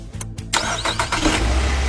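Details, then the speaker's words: Car that wouldn't start despite new throttle valve and checked plugs, coils and fuel lines, after repair: short crank, catches at once and settles into a steady, even idle with no misses; starts normally. "success again the power is very strong the problem has been completely solved"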